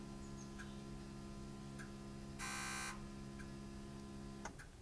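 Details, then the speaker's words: Ford Powerstroke diesel (6.0/7.3), key on engine off, Ancel V6 Pro scan tool injector self-test: steady electrical hum with faint evenly spaced ticks about four a second as each injector clicks in turn, cycling repeatedly until ended. "I can actually hear each one of them ticking under the hood you probably can't but and evidently it just runs through them over and over and over until I choose to end the diagnosis"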